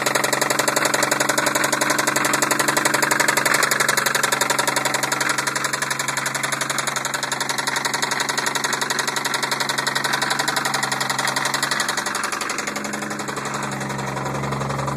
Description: 1990 Toyota supra turbo 5 speed engine knocking damn!!!!!!!!!